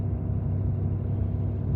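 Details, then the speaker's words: 2018 Ford F-350 6.7 Powerstroke diesel, 210,000 miles, cold start at high idle: deep steady roar of the radiator fan over fast idle, no knocks; fan expected to shut off once warm. "once it warms up a little bit it'll kick off and not be so obnoxious on this truck my truck it just doesn't shut off so yeah"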